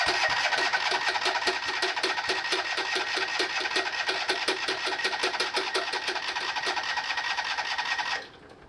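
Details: 2006 John Deere Gator HPX 4x4 that ran poorly for years and now won't run: steady starter cranking at about 2.5 turns per second with no firing or coughing, then stops. Possible computer fault suspected, not confirmed. Cranks but won't start.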